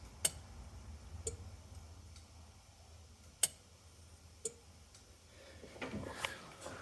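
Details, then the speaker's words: Old jet ski that sat for years: pressing start gives sharp single clicks about once a second from the wet electrical box, but the engine does not crank; a fuse problem is found there. "remember when I'm pushing that button oh I hear it's in that box"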